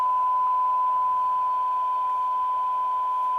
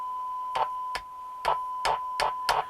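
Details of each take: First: Roberts R707 radio after peaking the IF transformers: clean steady tone without crackle, hiss bursts or dropouts; receiving properly, oscillator alignment slightly off. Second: Old Roberts R707 radio: a steady tone is broken by sharp crackling bursts, roughly two a second, when the set is tapped. An intermittent bad connection is suspected, possibly tin whiskers in the AF11 transistors of the module; not confirmed.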